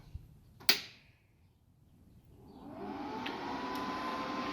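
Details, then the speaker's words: GZ Guozhi 200A multi-process MIG welder powered up on a 110 V outlet via a 220-to-110 adapter: a switch clicks, then the fan spins up to a smooth steady whoosh with a faint even hum, no rattle; normal startup. "and it sounds like it's operating lights are on and everything looks pretty good"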